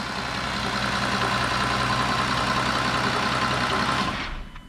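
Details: Audi Q7 6.0 V12 TDI damaged car, first start; strong even diesel running with steady low beat, no knocks or stumbles, no smoke, slight intercooler pipe leak, before shutoff; engine runs healthy.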